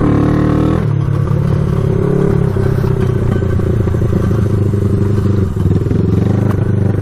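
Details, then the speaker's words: Honda CB360 twin found abandoned, carburetors just cleaned, choked first start and ridden around yard without air filters: uneven lumpy stumbling beat, won't rev out; poor running, owner blames missing air filters. "you can hear it it won't rev out foreign with this thing"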